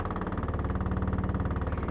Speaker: Yes, that washer is annoying, huh? It's vibrating the whole porch.